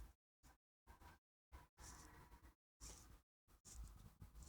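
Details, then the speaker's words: Vintage Dugana antimagnetic wind-up watch from a flea market: rough, uneven scratchy grinding bursts with each turn of the crown while winding, gears grinding in the winding works though the watch still runs; cause unconfirmed. "That's a weird sound when you try to wind it. What is that sound? The gears are grinding, but it works."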